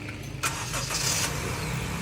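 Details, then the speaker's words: Honda Mobilio starter motor after repair of jamming/clicking starter and reinstallation: starter engages cleanly with a quick whir and spins the engine briskly, no clicking or hanging up; starter now working properly. "Oke , sekarang sudah lancar. Insya Allah, ini aman."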